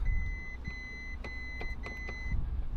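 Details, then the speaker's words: Crash-damaged Lamborghini Revuelto being rebuilt, earlier vehicle electrical system failure, 82% battery, 90% fuel: only repeated high electronic chimes and clicks, no cranking or firing, still won't start. "I'm going to try it let's do it go on still nothing"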